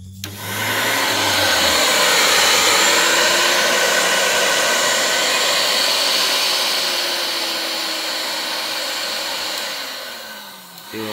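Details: Dessini DS-903 blender that would not start, after replacing its switch with one from a Kenwood (250 V 10 A): strong smooth motor whir climbing, holding several seconds, winding down cleanly; runs normally.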